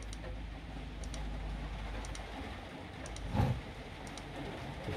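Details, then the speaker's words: Milwaukee M18 5Ah battery on its charger: faint double clicks about once a second as the charger keeps trying but will not charge; the pack reads just over 9 volts and dropping. "clicking away does not want to charge it looks like it's charger but it's not I've had ones like that before and you hear that clicking sound it's not happening"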